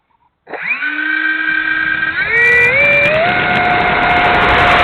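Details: E-flite A-10 Thunderbolt II RC jet, twin 64mm electric ducted fans spooling up: high whine rising in steps with a rough crackly edge on top; motors sound bad and unhealthy, cause unknown.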